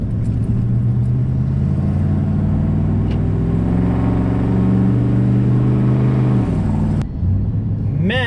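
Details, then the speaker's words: Dodge Ram 1500 on road test climbing a hill, just after a fuel pump replacement: heavy steady roar rising with engine speed because the fan clutch is stuck fully engaged; replacement fan clutch on order. "my fan clutch is fully engaged so it's on order i should get the fan clutch tomorrow you'll hear it going up this hill it's just awful"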